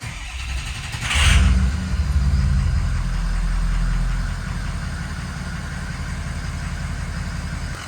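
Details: 2005 Ford Excursion 6.0 Powerstroke diesel after fuel filter and water separator replacement, key cycled five times to build fuel pressure: a short crank, then it catches right away and settles into a steady, even idle with no stumble or miss; a normal start and idle.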